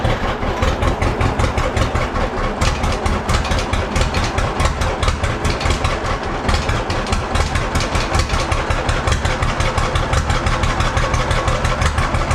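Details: Old John Deere B tractor started after checking the carburetor float: steady even low putt-putt idle settling quickly, no misses or knocks; running healthy.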